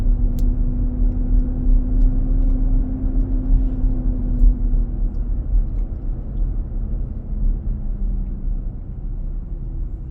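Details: New 2023 Nissan Armada, about 4k miles, driving on a hot day, cabin near 95°F: loud steady droning roar that slowly sags; happens almost daily. Fan clutch roar.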